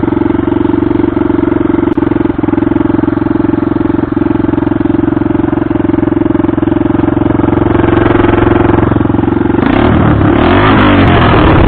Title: Hartford vr 150 misfire no exhaust modified sound